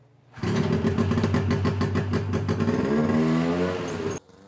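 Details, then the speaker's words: 1971 Arctic Cat Panther snowmobile, 440 JLO two-stroke with Tillotson carburetor, bad bog on test ride: revs rough and uneven, note sags instead of clearing; suspected loading up rich, air screw adjustment planned. "so sounds like it's loading up to me so we're gonna probably just adjust the air screwbay hold it up"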